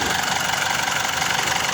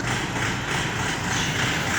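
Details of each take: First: Diesel engine after replacing a dirty diesel fuel filter: steady, even idle with a smooth, constant note, no knocks or misses; the earlier loud noise and low power are gone. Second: Diesel engine at idle: loud, harsh, fast clattery beat with heavy metallic rattle; diesel filter found dirty and replaced, fuel starvation from clogged filter suspected.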